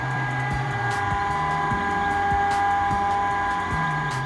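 Loud fan drone with a steady whine and an uneven rough knocking, from a worn-out radon fan.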